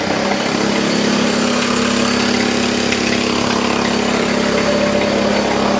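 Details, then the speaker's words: DeWalt D55146 oil-free air compressor brought in for loud noises and not building pressure, run with covers removed: loud fast mechanical clatter about three to four beats a second over motor hum; piston and cylinder look badly worn, bearings suspected, cause unconfirmed. "I still honestly can't really tell exactly what's going on. It does look like that piston and cylinder's in pretty bad shape though."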